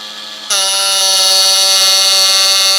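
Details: Ryobi USB Lithium Power Carver (14,000 SPM, 1 mm stroke) with the square chisel fitted, with road work noise in the background. It holds a steady high buzzing whine, even in pitch with no catching; it works properly, unlike a previous unit.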